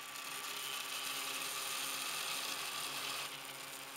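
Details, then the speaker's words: 3D printer with a version 3 direct granules extruder printing sugar walls at 20 mm/s: a busy, uneven high-pitched clatter at about four rattles a second as the top edge grows rough. Suspected cause is weak mechanics vibrating, not confirmed. "I guess that this is caused by the weak mechanics that tends to vibrate, you can clearly hear the clatter of the printer."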